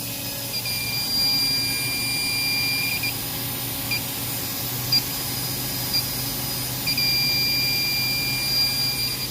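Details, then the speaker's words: Trane RTHB 450 screw chiller during a PM: leak detector chirps rapidly over plant-room hum at both condenser pressure relief valves, which have oil around their threads. Both are leaking refrigerant and are to be condemned. "two condenser pressure reliefs you also see a bunch of oil up around the threads of it and both of them are going off like crazy"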